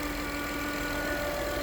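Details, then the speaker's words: Acura/Honda engine idling, showing a check charging system warning; a steady high-pitched whine from the alternator holds constant pitch over idle, with charging at 13.6 V and a battery about 6 months old; failing alternator suspected. "And that noise is coming from the alternator. The best thing you can do is take the belt off, start the engine, and make sure that it's not the engine."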